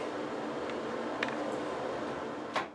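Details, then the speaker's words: Bathroom exhaust fan after the noisy small motor was replaced: a soft, even, airy whir with no rattle or grinding and just a couple of light clicks; the new motor runs much more quietly. "and the new motor is much quieter"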